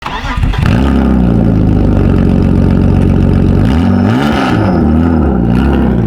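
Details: BMW E36 drift car after blocked catalytic converter removed: engine fires and revs with harsh, booming, raspy exhaust far louder than stock; loud exhaust from catalytic converter removal.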